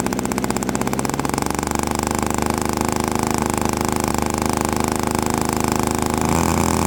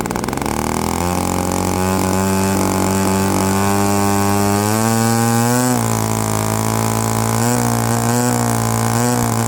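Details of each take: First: Quadra 50 single-cylinder gas engine in a model airplane, first start after 25–30 years sitting, motor still tight: fast, even buzzing run that steadies after a brief rise; sounds good, just slightly rich on the high end. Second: Byron Christen Eagle RC model plane, Quadra 50 gas engine revived after 25+ years; buzz climbs smoothly with throttle but sounds a touch soft and burbly up top: just a hair rich on the high end.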